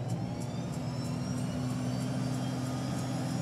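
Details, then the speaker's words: Beechcraft King Air 90 turboprop, cowlings off after a compressor wash, starting number one engine: crisp high igniter ticks about three per second over a steady low rumble, normal igniter sound as the condition lever is advanced. "hear the igniters and with my left hand I'm advancing the field lever now"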